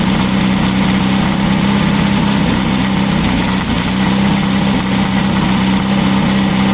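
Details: Freshly built VW Baja Bug flat-four on the stand, break-in oil with zinc additive, Super Dome distributor: steady even idle with smooth low hum, no knocks or misses; running healthy.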